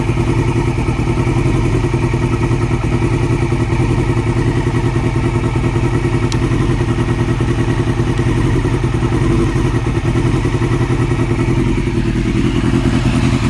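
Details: 2002 Yamaha R6 four-cylinder idling: fast, steady light ticking from the cam area over the busy idle. It was present before purchase and remains after fitting an APE manual cam tensioner; owner hopes it is not the valves. Cause unconfirmed.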